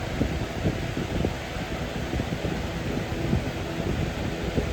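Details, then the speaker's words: Early-2000s Holmes HABF-25 box fan after paint restoration, medium then high: steady low roar with irregular light rattle ticking; owner says motor rattling from vibration, not bearings; motor rattle. "Yeah, that noise in the back, that's the motor rattling. I don't know why that's rattling. It's not the bearings or anything, it's just the vibration."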